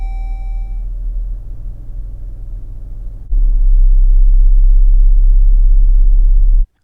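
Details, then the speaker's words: New 2026 Chrysler Grand Caravan SXT: quiet idle after start, but once warm, stopped at a red light with brake on and transmission in Drive, it swells into a loud, deep roughly 32 Hz cabin boom, no knocks; cause unknown. "But after the engine warms up, if I come to a red light and put my foot on the brake and leave the transmission in drive, it can be very loud."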